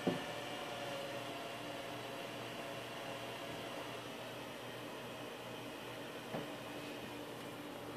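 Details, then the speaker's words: Lanner Electronics 7565E pfSense router after a power supply swap: a soft, even fan rush with a faint steady hum and one small tap. It sounds like the original unit, so the fan runs normally. "But it sounds like the normal sound the other one was making, so, and we're good."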